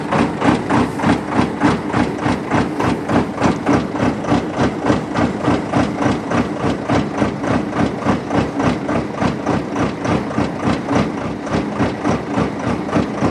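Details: Vermeer 36x50 directional drill with John Deere diesel on cold start: uneven, lumpy chugging about three and a half beats a second with a hammering edge; rough idle.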